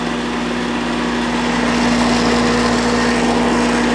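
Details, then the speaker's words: Red Oak TX split-capacitor condenser after replacing bad 15 µF fan capacitor: fan spins up and settles into steady even mid-pitched hum after solid green light, vibrating nearby items; condenser fan running normally. "And there she goes. Solid green light. The fan's working."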